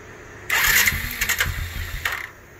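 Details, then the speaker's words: 2012 Suzuki King Quad LT-A400F: short cranking burst and uneven sputtering that dies instead of idling; rebuilt All Balls fuel pump reaches only 16–18 psi against the 43±2 psi minimum. "the machine simply won't idle there's not enough pressure"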